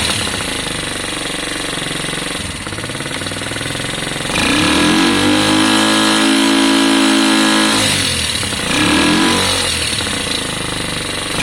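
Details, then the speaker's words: Lexmoto Valiant converted from EFI to carburettor: engine revs up twice but the note flattens and won't climb to a scream; suspected loose valve clearance, and owner also considers changing the jet from 105 toward 90. "it doesn't sound terrible but you can hear it it's not screaming so"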